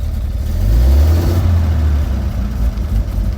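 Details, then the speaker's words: 1929 Buick, started after charging-system work under a cover: a deep, steady rumble that swells smoothly when the throttle is blipped, with no knocks; running fine and charging better. "Okay, the car is running. Let's step on the gas. Up, it's already charging. Sounds better."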